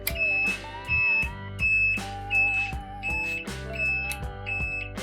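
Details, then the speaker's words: Yamaha SR250 SE motorcycle with a buzzer-type flasher relay fitted: loud, high, even beep about 85 times a minute with the indicators on; flash rate is normal, only the buzzer noise. "tu l'éteins ça fait du bien quand même et quand tu mets ton clignotant bon après le clignotement est normal tu vois la vitesse est bonne et tout tout est bon juste ça fait ce bruit affreux c'est dégueulasse"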